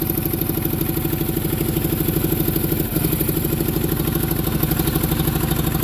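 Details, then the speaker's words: Onan generator, started just by hooking up a battery: lumpy uneven chugging with a missing beat each cycle and raspy puffing leak; far cylinder not firing and major exhaust leak at intake manifold needing gaskets. "the far cylinder is not firing this thing needs some gaskets big-time I got major exhaust leak at the intake manifold"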